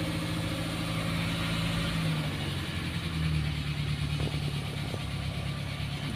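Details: Car that is hard to start when hot, started in the morning before being driven: it fires on the first crank and settles into a steady, even low idle with no misses, a clean cold start.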